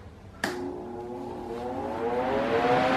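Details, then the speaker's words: Mondial Maxi Power 40cm 140W V-40-B fan spinning up: clear motor hum rising in pitch and audible over the air rush; motor noise is louder than usual for a fan, owner dislikes it. "não não sei se deu para escutar mas eu escuto o barulho do motor tá então você escuta o barulhinho do vento mas do motor também né então isso daí eu não acho legal tá"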